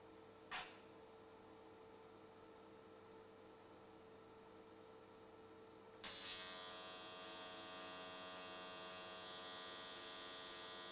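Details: AC TIG welding an S13 catch can, likely aluminium, at 95 Hz square wave. Faint mains hum, then the arc strikes about six seconds in and holds a smooth, even buzz without sputter. Normal, stable arc, judged a good frequency choice.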